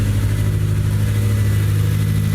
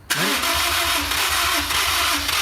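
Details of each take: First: Honda S2000 project car just started, no catalytic converters, no coolant, smells rich; smooth even low idle with steady deep hum, no skips or stumbles; healthy idle, no misfire. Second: Honda S2000 from wrecked/totaled project, new battery, fuel treatment added, old spark plugs very dark; long steady starter churn with scattered firing pops that never catch, combustion maybe in one or two cylinders; hard start, cause suspected, not confirmed.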